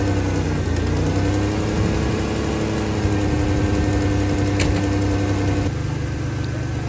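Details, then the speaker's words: Third-gen Firebird revived after years sitting in a field, running after repairs: steady, even idle with a smooth low rumble, no knocks or misses, and no leaks; normal idle. "All right, it's running good. It's not leaking anywhere."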